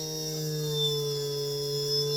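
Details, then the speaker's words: Test motor on a repaired JUGS BP3 3-wheel controller board 180-2406-0 whose output channel was faulty: clean, steady electric motor whine, rising as speed is turned up, with no roughness or grinding; channel works normally. "Okay, as you can see, it starts fine."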